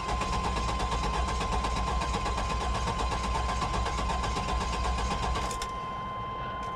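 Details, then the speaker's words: Lincoln Town Car Jack Nicklaus edition at auction, overfilled suspect oil: starter cranks steadily and healthily for several seconds, good oil pressure and fuel gauge, no fire, no fuel pump heard; crank no start, fuel pump suspected. "shows it's got gas it's got good oil pressure it's a good sign it sounds like it's cranking pretty healthy maybe dog wigging a little"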